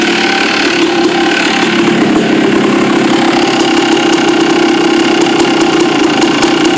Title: yz250 noise at idle